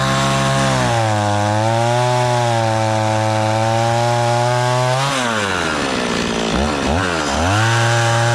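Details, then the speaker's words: Stihl 026 two-stroke chainsaw after rebuild, warming up on thick fuel: steady buzzing idle a touch fast, then a few throttle blips; idle set high enough that the chain begins to creep. "seems pretty happy really fuel there still you're running the little fast the change just barely going to start to turn there"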